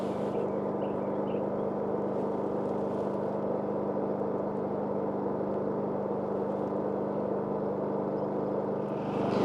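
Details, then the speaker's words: WEN 4800 W dual-fuel generator (DF480iX), switched to eco mode during a 23-foot sound test: steady, even low hum at constant loudness, no surges or knocks; normal eco mode idle. "Let's go ahead and turn on eco mode. And now with the eco mode on,"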